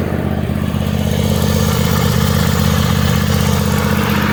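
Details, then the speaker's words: Toro Wheel Horse 266-H mower, 26 hp Kohler V-twin with new fuel filter, fuel pump and apparently new carburetor: even idle with a steady low thump, overheating badly because a mouse nest is choking the cooling fins under the covers. "So I'm gonna have to pull all the covers off of this thing and get the darn mouse nest out of it because it's overheating something terrible."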